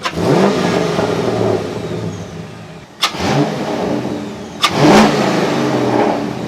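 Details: C5 Corvette V8 with newly installed Callaway Honker intake, warm after 5 minutes at 176 degrees: deep, even roar with two quick throttle blips rising and falling cleanly, no knocks or rattles; normal revving.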